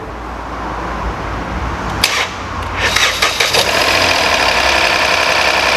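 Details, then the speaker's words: Ford EcoSport 1.5 three-cylinder, 60,000 km, restarted after oil refill: brief VVT clatter (phasers drained due to dirty valve) dies within seconds, then settles into an even, smooth, healthy idle. "funcionou tá vendo ó já parou a batedeira da bvt ó pouco segundo de funcionamento sumiu o barulho já ficou redondinho"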